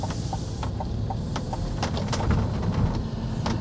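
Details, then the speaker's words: 2024 GMC Hummer EV 3X pickup, driving over railroad tracks, heard from cabin with AC fan low: road rumble with sharp irregular clicks and taps; rattling comes from the removable sky roof panels. "Now the noise you're hearing, that rattling sound that you hear, is coming from the sky panels."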